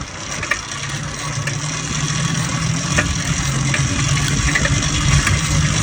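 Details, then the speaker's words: Neglected used motorized bike/moped cranked after swapping the CDI for a smaller-engine unit; rough, uneven cranking chatter about three beats a second that never catches, with the carburetor suspected next. "So I've taken the carb off. I'm going to disassemble it and I'm going to soak it in carb cleaner and alcohol. And we're going to see if this is the problem, which I should have done this to begin with, but I thought it wasn't sitting for as long as it was."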